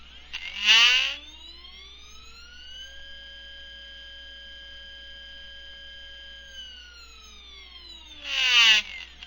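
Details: Stepper motors on a GRex/Mach3 CNC setup, bolted to a steel plate, whine rising and falling with each move, with rattling as they hit resonant bands. Movement is crisp with no lost steps: normal stepper whine.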